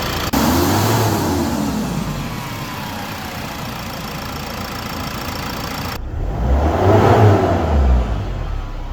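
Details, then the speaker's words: Mercedes Sprinter diesel engine running, with a faint whine over the clatter from worn alternator bearings and clutch pulley; alternator removed for replacement. "So, the reason why we're removing this alternator is because of the bearings and the clutch pulley. It's a little bit noisy, as you'll see in the next clips."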